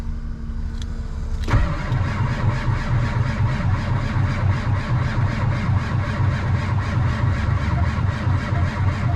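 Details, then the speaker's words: 7.3 diesel tow truck at about minus 25, cranking after glow plugs and ether with good batteries; slow, labouring, uneven crank about four turns a second as the old starter fails and smokes, later replaced. "batteries seem to be all right though no we're gonna have to get some help okay we will be back so uh we tried our best the batteries are real good and uh gave her a little bit of ether but the old starter gave up the ghost uh it's not happy so let the smoke out"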